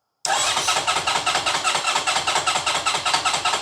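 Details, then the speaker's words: 2010 Honda VFR1200F with a misfire and poor idle, cranked during diagnosis while a sensor reading was watched. Fast, even starter chugging for over three seconds that never catches; the engine won't fire and oil pressure builds while cranking. "It doesn't want to fire at all now, but it does seem to be building up by increasing oil pressure."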